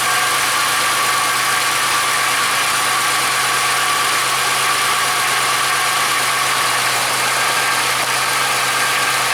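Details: 1995-05 Oldsmobile Silhouette/Pontiac Montana/Chevy Venture minivan, idling after fuel pump replacement and new compression-fitted fuel line: steady, even idle hum with no knocks, misses or hunting; return line then found spraying fuel.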